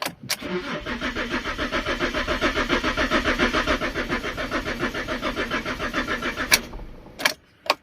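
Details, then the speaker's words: Fiat Stilo Abarth 5-cylinder, water damaged, long stood still, many moisture-related error messages: starter cranks in steady pulses, about three or four a second, for six seconds but never catches. Crank, no start. "it well guys it does not start as the last owner said so um I don't know where to start to be honest"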